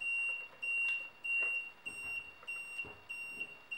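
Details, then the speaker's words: Solar-powered wireless 100 m infrared beam detector clipped onto its back plate: high thin beeps repeating in short bursts in a quiet room, warning that the beams are not lined up. "then all you do is you clip on your detector which is beeping at me now because it's not lined up and connect that back on"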